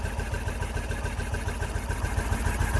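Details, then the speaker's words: Engine of an English-built Isetta with freshly installed battery, running cold after carburetor float check (float level dropping): steady single-cylinder putter, even, no clicks, clacks or knocks after a small backfire; healthy cold idle. "really nice sounding engine that's how this ultrasound no clicks no clacks no bangs that sounds really good"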